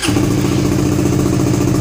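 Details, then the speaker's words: Suzuki GSX-R150 with NOBI Neo SS racing exhaust, after owner's fix for the stutter at around 2000 rpm: held steady at 2000 rpm, even drone with no stutter or misfire; exhaust now quieter. "coba nah, ini RPM 2000 gue tahan di RPM 2000 enggak berbet sama sekali. Nah ya, ini 2000 tanpa merebut sama sekali."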